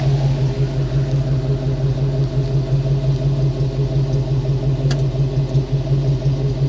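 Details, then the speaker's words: Ford small-block 302 cubic inch V8; deep, even rumble with steady beat, no misses or knocks; healthy V8 running. "Okay, now the main reason, one of the main reasons, besides improvement in horsepower and torque and freeing her from the emissions crap, lets you listen to the beautiful sound of the Ford small block 302 cubic inch V8."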